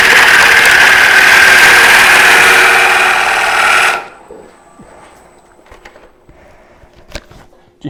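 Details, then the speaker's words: Wood bowl turning on a lathe: hissing gouge cut ends in brief rattling chatter because the tool was overextended past the tool rest, lacking support and vibrating. "hear that chatter at the very end what was happening there as I was I was overextended too far on the tool rest so I didn't have as much support over here with the tool wrists and it was getting a little bit of vibration going on there"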